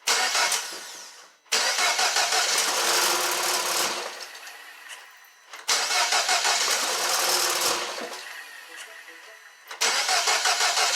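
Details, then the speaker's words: 2012 Mini Cooper Countryman with P0304/P0300 codes, first start-ups after bottom-end rebuild for a damaged cylinder 4 piston, MAP/MAF sensors and one cam sensor unplugged: shaky uneven idle with stumbling misfire; owner blames the unconnected cam sensor. "okay it still has a misfire and i think i found out why there's no i don't have the cam sensor hooked up on this side"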